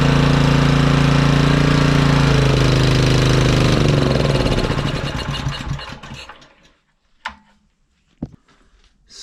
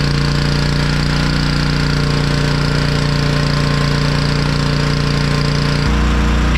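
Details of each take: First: Honda EG1900X generator, Honda GX140 single, stored over 10 years with fuel left in, on half choke before cleaning: rough uneven chug running a few seconds then dying; runs only on choke from stale fuel. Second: Honda EG1900x petrol generator with Honda GX140 engine, stored over 10 years, after fuel tank clean, ultrasonic carb clean and oil change: strong, even low drone with steady firing, no misses or hunting; running about 52 Hz unloaded, 50.2 Hz loaded.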